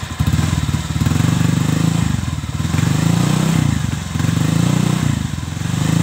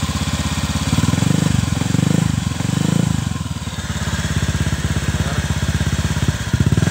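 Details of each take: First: Honda Vario 125 (old model) stock CLD racing-style exhaust, before the glasswool packing is replaced: repeated throttle blips give a thin, raspy, buzzy note without bass; worn silencer packing. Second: Honda Vario 125 (old model) CLD exhaust after repacking with 3 sheets of new glasswool: deep, even burble rising and falling with throttle blips; normal exhaust note.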